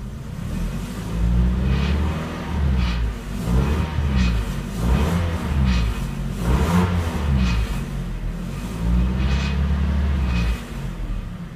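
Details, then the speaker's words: 1998 Toyota RAV4 with oxygen sensor flange studs rusted off and nuts missing: loud, deep exhaust drone at startup, much louder than normal, with sharp rattly bursts near 2,000 rpm from the leaking flange. "hear that kind of Ratt right there when I first started up it's much louder than normal and then you'll hear the rattle when I get up to uh close to 2,000"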